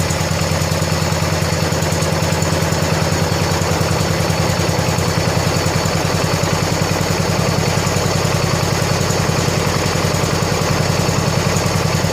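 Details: 1970 John Deere 140 H3 garden tractor, single-cylinder, just after head gasket replacement (old gasket leaked severely): fires right up, steady even thumping idle, no knocks or misses, quiet, burning off some oil; normal idle.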